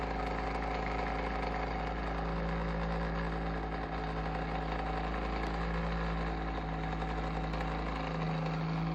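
Constant low drone with a wavering hum on top, louder and rougher than a heater fan should be; the cause isn't clear.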